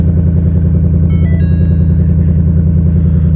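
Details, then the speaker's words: 2020 Ford Mustang GT 5.0 V8 with front-end damage at a salvage yard, started cold on a frosty day, airbag light only and no check-engine light: a deep, even V8 burble at a steady idle with no misses or knocks. "too bad I mean just airbag light no check engine light need some gas just a little bit a little gas let it warm up definitely cold pretty sweet"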